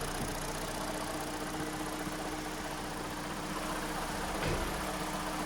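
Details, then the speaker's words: 2015 car with G4NA engine, manual gearbox, 134–135k km, one owner: engine idling, steady hum with faint clattery rattle, clutch out; gearbox noise from worn input shaft bearings, needing bearings plus flywheel and clutch. "но коробка шумит посмотри там пробег то 134 134"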